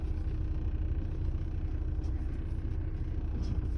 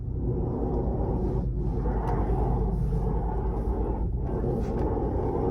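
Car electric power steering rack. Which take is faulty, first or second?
second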